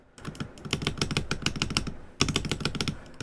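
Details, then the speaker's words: NK65 keyboard, typing: quick sharp keystrokes with a thin, bright tick on the backspace and space bar; owner suspects the lube has dried out. "So, just the backspace is ticking and the space bar. Can you hear that? Just a very little bit of tick."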